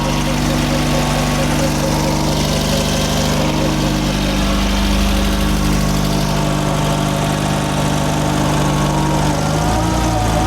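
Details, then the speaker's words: VW Mk1 Golf Cabriolet, cold after an engine swap and 5-speed manual conversion, with more choke put back on after a rough idle. A steady, even idle with a constant deep drone and no misses or knocks. Running smoothly on choke. "A bit more choke on. Oh yeah."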